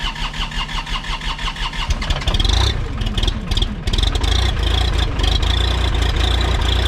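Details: New Holland LS140 diesel skid steer, cold start on a freezing December morning after sitting untouched 2+ months, with fairly new glow plugs, battery and relay: quick even cranking, catches and settles to a steady low idle; normal cold start.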